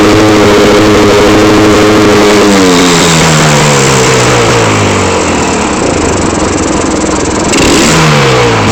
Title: Misfiring